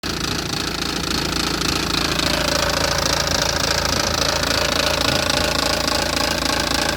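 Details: 2006 BMW 320d, M47N2 diesel, idling: steady regular ticking about three to four beats a second over the engine note; abnormal noise, cause unknown.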